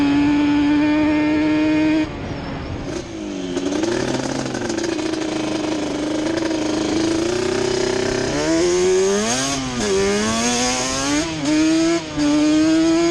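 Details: Yamaha Banshee two-stroke twin ATV on a ride after misfire chase (new plug caps, coil swap didn't cure it): carb needles moved back to middle position, revs rising and falling cleanly through the gears, no stutter; miss gone, running normally.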